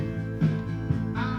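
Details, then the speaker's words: Cassette deck on playback: music dull and woolly with treble missing; one channel sounds alright, heads found very dirty and sticky, suspected cause. "sounds a bit woolly through the machine for some reason a very typical song to the electronics apparently"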